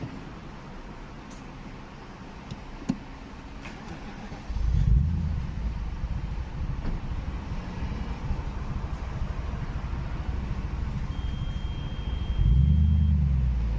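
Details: 2006 BMW E63 650i with N62 engine at idle: low, uneven idle surging and dipping every few seconds; idle speed fluctuation, cause unclear.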